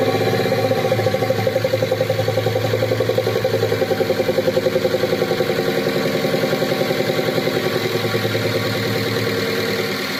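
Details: Engine at idle after an attempt to clean the EGR and intake manifold without disassembly. Rapid, regular knocking about three to four per second rides on the idle and eases slightly late on. Cause suspected, not confirmed.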